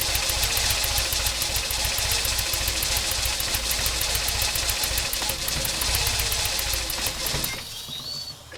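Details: Toyota 22RE petrol engine fully warm: idles slow and rough with a rapid, slightly uneven ticking pulse, then stumbles and dies; cold idle is fine, drives well; distributor and terminals were just cleaned, and owner wonders if Seafoam throttle-body spray caused it.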